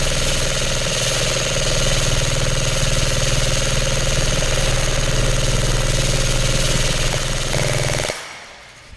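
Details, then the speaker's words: Lancer Tactical Gen 3 airsoft gun in a full-auto torture test, with many magazines fired: fast, even buzzing rattle at a steady rate. It still sounds healthy, but a smell is starting to come from the motor grip. "Still sounds healthy, but I'm starting to smell something coming from the motor grip."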